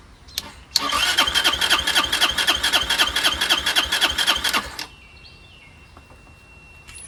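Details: Moto Cooper Revo / CF Moto 150cc Chinese scooter found on the curb, ignition bypassed with no key, fuel lines reconnected: starter cranks steadily, about four turns a second for four seconds, with no firing; the engine never starts.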